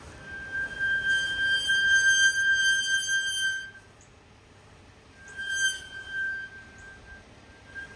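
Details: 2024 Toyota Tundra: high steady glassy squeal coming and going during stops; covered by Toyota TSB T-SB-0043-24, fix requested but parts delayed. Brake squeal.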